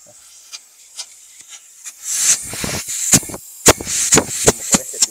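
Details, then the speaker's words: Chevrolet Corsa with overheating and power loss, leak-down tester pressurizing one cylinder, paper placed at pistons 1 and 3: sharp irregular puffs of escaping air hiss and gauge pressure drops at once, indicating a blown head gasket. "está botando por este sí está bien Mira este sí está bien pero está malo por acá está botando todo el aire y vean como de una vez decayó la la presión de acá"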